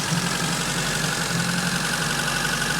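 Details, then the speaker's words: 1986 Fiat 147 1300 on alcohol fuel at slightly elevated cold idle: light, even valve tapping, characteristic and very common for this engine, not a fault; idle settles as it warms. "é de característica esse barulho de válvula trabalhando se é super comum desse motor"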